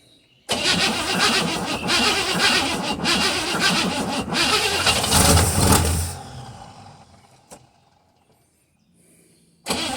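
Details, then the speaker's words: 1957 Chevy Bel Air 283 V8 after tightening everything underneath, with new oil: starts and runs evenly with a light exhaust tick and no deep rod knock from the bottom end. "no more knocking that's just the exhaust manifold that's loose you hear it so much for your theory on the uh connecting rod being done if they're loose"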